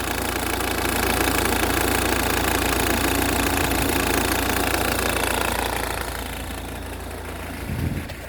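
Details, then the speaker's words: Ford Kuga MK1 AWD 2.0 TDCi (replacement engine) at idle: rapid regular clatter about four a second over the diesel note, vanishing with a little rev; auxiliary belt clatter, fixed by a new belt. "so we're just going to start this up now reach in [Applause] there we go you can hear that extra clattering"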